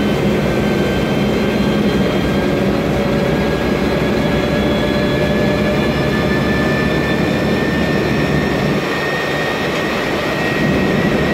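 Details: MAN Lion's Classic city bus, 2007, MAN E2876 LUH03 EEV turbo CNG engine, Voith DIWA 864.3 4-speed automatic: a steady high whine climbing gently with road speed over engine drone, from a noisy automatic gearbox.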